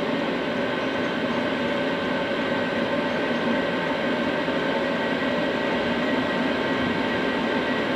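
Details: Cheap Chinese diesel night heater from eBay, running after defective fuel filter replaced, building up to full capacity; steady even roar with constant whine, no surging, popping or misfire: normal running.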